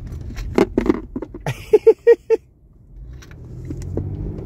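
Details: Hyundai with a tick-tick-tick rattle on braking and accelerating, traced to a loose apple rolling and bumping in the cabin: irregular light taps, then four hollow knocks.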